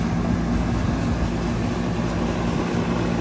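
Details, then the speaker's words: 2003 Carrier 38CKC 3-ton AC condenser with Bristol reciprocating compressor and 3-blade 18-inch galvanized Revcor fan: loud steady whoosh of fan over even compressor hum, no rubbing or rattle; a very loud unit, especially the fan, running normally. "so this is also a very loud unit too especially with the fan"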